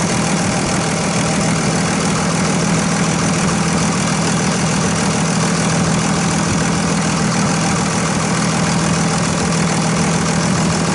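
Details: 2001 Dodge Ram 2500 Cummins turbo diesel, started after installing a new Fleetguard FS19855 fuel filter with the bowl left mostly full: even diesel clatter at a steady idle, no stumbling, surging or stalling. Normal idle.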